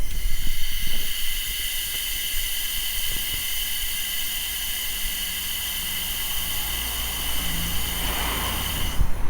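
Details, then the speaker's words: Small 24-litre air compressor running, microphone held close to the pressure switch: constant high airy hiss over low hum while pressure drops, air leak at the faulty pressure switch (confirmed with soapy water) before replacement. "Si vede la perdita abbondante di aria e vi farò sentire ora anche con il microfono, lo avvicinerò appunto come sfiata."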